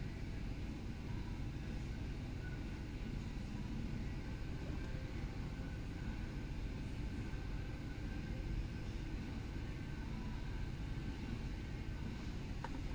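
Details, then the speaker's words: BMW E90 320i with N46 engine on a road test after a fix for rough idle, hesitation and misfire codes P0300/P0301 plus O2 sensor code P0134: smooth, steady engine drone under road noise, no misfire, stumble or surging; engine light stays off and performance is restored. "engine light has stayed off no fault codes coming back and complete performance has returned we have no erratic idle we have no massive lack in uh acceleration"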